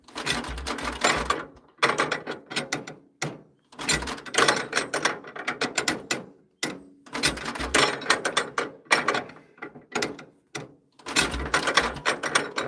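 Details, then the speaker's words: 1940s International Cub engine on a wood splitter, cold at around 50s °F, aftermarket carburetor likely out of tune: repeated bursts of hand-cranking clatter with pauses, nearly catching but never settling into a run; hard starting. "You can hear it wants to go. Oh, so close. It is cold."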